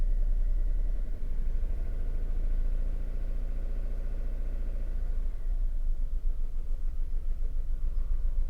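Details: VW Polo 3-cylinder at idle, not yet warmed up, cylinder 2 pulled off to induce a misfire, exhaust pressure transducer fitted: lumpy, uneven idle with a missing beat each cycle rather than a steady thrum, showing one dead cylinder.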